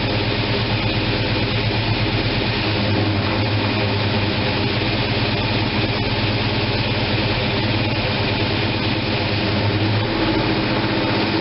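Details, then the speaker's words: After opening the manual choke that had been left closed, the freshly fuelled engine holds a smooth, even rumble at 700 rpm with no hunting or surging. "it's idling at 700."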